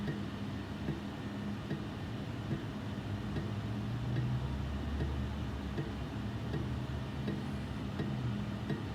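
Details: Inline duct fan, noisy even when switched off: a steady low rumbling hum with a rough, scratchy grind and faint irregular ticks.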